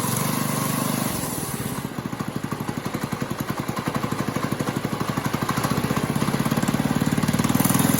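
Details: New Liffin-brand Chinese go-kart engine swapped into a Moto Monster go-kart, first start: small single-cylinder thumping at steady idle then picking up slightly, even firing, no knocks or rattles; runs healthy.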